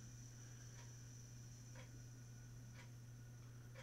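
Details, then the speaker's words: Feiyutech G6 Plus gimbal motor stutters and jerks, stopping instead of moving smoothly, with a steady low electrical hum and sharp clicks about once a second; horrendous noise from a faulty unit being returned. "stutter stutter and stop it's making horrendous noise as well"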